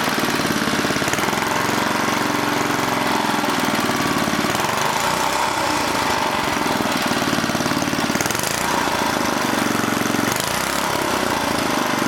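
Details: Old 1980 rototiller of unknown brand resembling a Lawn-Boy: the small engine chugs loud and busy with its speed drifting up and down, hunting; owner suspects a creeping throttle control cable, and tightening it did not help.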